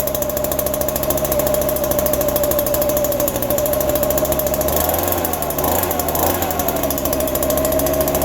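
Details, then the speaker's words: Small two-stroke yard tool cold-started in December with only a little fresh gas, fuel dripping from an unknown leak; fired right up, quickest ever. High, steady buzz holds through a brief rev, running clean and healthy. "Dude, it fired right up. Wow, that's awesome."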